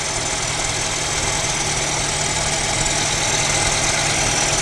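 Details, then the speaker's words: Mercedes-Benz CLA W117 idling, loud harsh grinding whir from the front of the engine with coolant loss, a leak and a Top Up Coolant warning; mechanic suspects the water pump bearing. "ปั๊มน้ำเลยครับดังอยู่ตรงเดังน่ากลัวมากเนี่ยดังหน้าเครื่องเสียงหอลูกปืนเลยนะเออเหมือนปั๊มน้ำเลยน่าจะนี่มั้ง"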